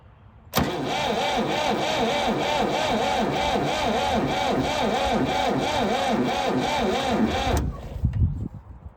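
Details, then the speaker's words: Late-1960s/early-1970s Massey Ferguson 2200 forklift, Perkins 3-cylinder gas engine, sat 23 years: labored, slow cranking at about four pulses a second for seven seconds, no firing. A seized water pump was dragging the starter. "it looks like our water pump just decided to start turning. I think that was dragging our starter down a lot more than we realized, because it started turning over a lot faster."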